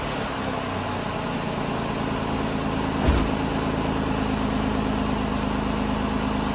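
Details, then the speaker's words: Ford Escape 3.0 V6 after alternator replacement, battery light goes out right after starting and charging well: smooth, steady idle with an even low hum and no knocks, squeals or belt chirp; running healthy. "Sounds good. The battery light goes out right away as soon as I start it. I think we're good."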